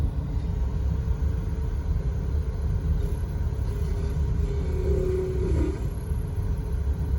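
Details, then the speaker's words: VW T5 Transporter heater blower fan after silicone-greasing, running: deep whooshing rumble with thin tone briefly wavering into a squeak, less than before; needs time to bed in. "You can hear the fan going. Oh, touch of a squeak there. I can just hear it. It's trying to squeak. It's not as bad as it was."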